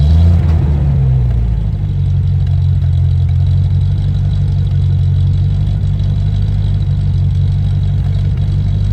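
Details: Land Rover Discovery 1 3.9 V8, first start after about 18 months sitting, oil pump primed: deep, loud, booming idle with heavy low rumble and no mid-section damping; loud because the centre silencer pipe is missing.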